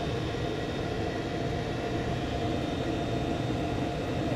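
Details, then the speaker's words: Chinese 2 kW diesel air heater at mid-range 3 Hz pump pulse rate, about 80 degree temperature rise, 1.2 A draw: steady even combustion roar with soft fan hum, no surging or popping, about 64–65 dB; running smoothly. "about 64 65 decibels and sound coming through with this"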